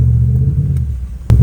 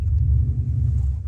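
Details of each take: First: Dodge Dakota bogging after driving through a puddle: lumpy, uneven low rumble that stumbles under throttle, misfiring on multiple cylinders, no power above 25–30 mph; cause suspected, not confirmed. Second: Dodge Dakota that had misfired after a puddle, now in reverse under load with tires spinning: deep steady rumble, no stumbles or popping; it revs and pulls cleanly with no misfire.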